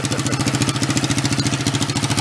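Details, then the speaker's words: 1965 Chevy Monza go-kart, long parked with a bad engine, now fitted with a larger lawn mower engine. First start on choke with a little throttle: a small single-cylinder idling at a steady, even beat with no misses or knocks, a normal idle. "give it a little bit of throttle which way I want to go that way she sounds pretty good huh pretty"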